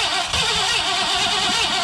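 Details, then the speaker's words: Old Ford F100 pickup, sat about 17 years, with rebuilt carburetor: brief cranking that sputters, never catches and dies after two seconds; no gas getting through the carburetor. "oh daddy we're just not getting gas through the carburetor"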